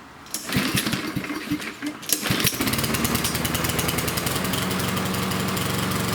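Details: Yard Machines lawnmower with Power Mower engine: pull-start chugs, then rough uneven running that won't reach full speed, as if choked; running rich from an oil-soaked air filter.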